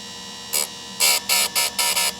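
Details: Sharpening a Shindaiwa 300S chainsaw chain on a grinder after adjusting depth; steady motor whine broken by five short, crisp grinding bursts as the wheel lightly grazes the tooth face; clean, even contact, normal.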